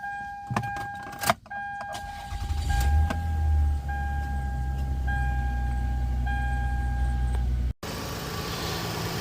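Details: 2000 Toyota Avalon after replacing the valve cover gaskets, tube seals and spark plugs and refitting the intake manifold: after the key chime it catches at once and settles into a smooth, even, low idle with no misses or ticks.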